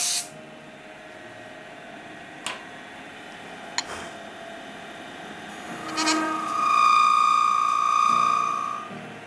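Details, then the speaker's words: Wood lathe turning a purple wildfire shaving brush blank with tailstock support; thin steady screech near 1 kHz, chatter squeal from tool vibrating against the work; owner suspects tool rest too high, lowering it did not stop it. "i could be a little bit high with my tool rest there as well so we'll try and drop that down and see if that gets rid of that horrible noise for us we're still getting it it's just the way it is"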